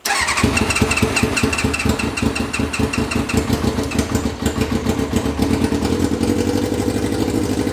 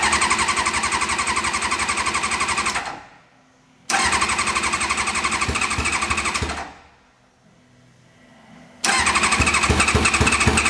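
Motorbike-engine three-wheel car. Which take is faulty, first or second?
second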